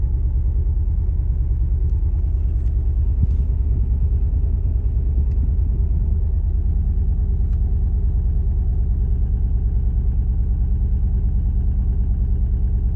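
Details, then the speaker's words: 180SX Type X (S13) SR20DET with bad idle, shaking hard: uneven, lumpy, stumbling idle like a lawn mower, suspected misfire; plugs, coil packs and wiring checked, injectors suspected. "literally sounds like i'm driving a lawn mower like i'm trying to get into the garage listen to this this is shaking so bad the car literally sounds like a lawn mower"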